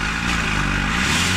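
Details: Honda CR-V with clogged catalytic converter: with the upper air-fuel ratio sensor removed to vent exhaust, engine revs up freely and steadily with no choking or bogging.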